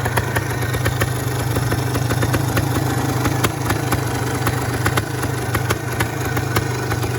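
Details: Yamaha 400 DTMX single-cylinder: steady low idle with a light regular ticking clatter, holding speed evenly; engine in fairly good condition.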